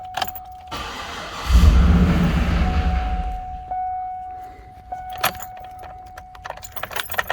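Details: 2010 Cadillac Escalade after engine replacement, fuel pump not heard priming on key-on: key chime, then about 1.5 seconds of low cranking that never catches. Fuel pump control module suspected, not confirmed.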